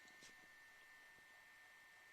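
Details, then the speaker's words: 1994 Samsung MyCam VP-U10 8mm camcorder after capstan motor repair, during playback: faint steady high whine at one pitch under quiet hiss, a small noise from the capstan motor, though much quieter than after the first repair and acceptable. "ya un petit bruit en temps sans le cabestan mais ça va suffire pour récupérer ses cassettes c'est pas trop trop mal"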